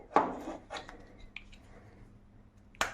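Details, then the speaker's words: Hydraulic door closer that doesn't work, turned by hand: sharp, irregular metallic clicking as the rack gears on the piston and shaft skip. Teardown found the splines broken. "там что-то щелкает перескакивает то ли шестерни перескакивают на поршне и на этом валу Толи они обломались но суть В чём доводчик не работает"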